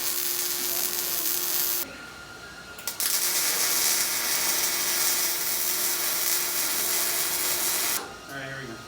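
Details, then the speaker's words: Steel welding demonstration: steady crisp sizzling crackle like frying bacon, holding even for several seconds between short pauses; the desired sound of a stable, well-set welding arc. "that's what you want the sound of sizzling"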